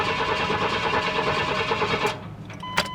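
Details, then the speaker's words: 1994 Chevy Blazer that had long sat with rats nesting, no coolant, likely bad gas and vacuum leaks; steady rapid starter churn for about two seconds, engine never fires; cranks but won't start, owner suspects no fuel, checking spark next. "okay I don't know what that's all about maybe we aren't getting fuel let's try spark"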